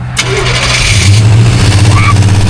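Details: Car V8 after pulling and refitting the main fuse, fuel pump primed: starter cranks briefly, then it catches and settles into a steady low idle rumble with faint light ticking, which the owner calls lingering valve noise. Starts fine.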